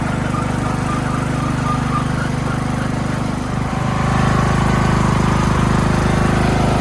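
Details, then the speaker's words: Craftsman LT2000 riding mower, single-cylinder engine smoothed out, first drive test on a battery; even steady thrum picking up slightly as it pulls away, no misses or knocks. Normal running. "Let's see if it drives. Got the engine smoothed out. Here we go."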